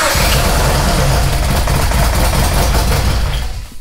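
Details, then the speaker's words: EVL86 race car engine on first start after reinstall: lumpy, uneven idle that stumbles and shakes, sounding like it runs on two cylinders; front cylinder not firing, traced to a bad spark plug. "sounds like it's running on two cylinders why would it be doing that"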